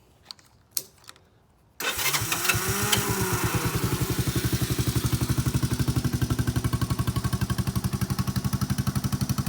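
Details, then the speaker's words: 1986 Honda Fourtrax TRX 125 ATV, light restoration, original exhaust: electric starter whirs, single cylinder fires at once and settles to steady, even idle putt; runs like new, no smoke, engine never opened. "runs like new no smoke uh mostly well i didn't take it apart or do anything with it because it runs so good full start works everything works"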